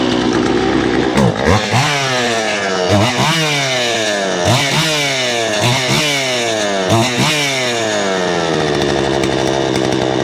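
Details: Poulan Pro two-stroke chainsaw, about 12 years old, cleaned up for a new season with its air filter refitted. Revs up and down repeatedly, pitch sweeping cleanly each blip and dropping back to idle: runs healthy.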